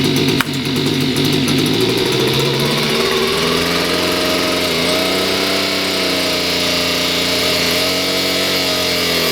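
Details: Stihl BG56 two-stroke leaf blower, restarted at wide-open throttle with choke off after being flooded full of gas: high buzzing note wavers and hunts unevenly for a few seconds, then steadies and runs good; rough running clearing after flooding.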